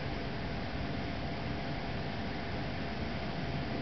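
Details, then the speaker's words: Trane XV95 95% variable-speed 5-ton furnace, blower on low at about 1,200 CFM (high about 1,600), recorded about 2 ft away: smooth, steady airy rush with no knocks, rattles or wobble; normal low-speed blower operation. "so right now it's on 1200 it's on uh 1,200 speed that's on low and then when it goes to high it'll go kick itself back up to about 1,600 that's what it sounds like I'm about 2 ft away"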